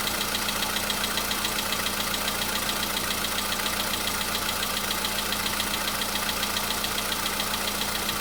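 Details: VW Polo Sedan cold start the day after an oil change and flush with flushing oil. There was no knock the day before, but now a faint, even tapping rides over the cold idle, less than before. Mild cold engine knock, cause unknown.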